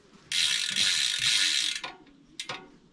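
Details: DT Swiss R470 rear wheel after a ceramic bearing upgrade, cassette and lock ring refitted. Quick, crisp, even ratcheting of pawls about three or four clicks a second, then stopping. Freehub engages cleanly; normal pawl clicking.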